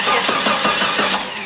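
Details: Jeep stranded in sand dunes with a starter problem: a remote starter button plugged into the starter relay slot, key off, spins the engine evenly at about six compressions a second without catching, showing the starter cranks properly.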